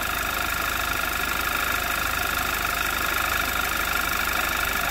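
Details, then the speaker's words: 2011 Audi TT Quattro 2.0T TFSI, first running after engine damage repairs: smooth even idle with steady faint high-pitched hum (suspected fuel pump), no check engine light, slight hiccup, smoke expected until rings seat. "It sounds pretty smooth. I mean, there's nothing abnormal."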